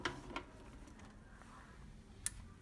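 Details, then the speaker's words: Switching power supply with no output, after replacing a degraded 50V 22µF chip supply capacitor (measured 9.56µF): a single sharp relay click at power-up then quiet hum, indicator lit; repaired. "Hear the sound of the relay pulling in"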